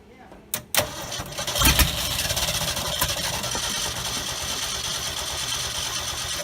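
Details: 1969 Ford F250 first start after 11 years, with a replacement carburetor, borrowed starter and fuel fed from a canister; steady starter whirring for about six seconds, engine never catches; a large vacuum leak at the back was later noticed: crank, no start.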